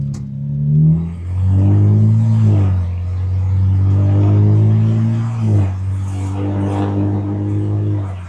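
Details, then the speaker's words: BMW 335i after automatic transmission swap to a unit believed to have about 50,000 miles, test drive: revs climb and drop cleanly at each upshift, no flare or jerk; shifts quicker and smooth, cruises in fifth. "Oh my gosh, that's such a difference. One, it doesn't feel sloppy. two, it shifts and it it doesn't jerk. It doesn't rev up before it shifts."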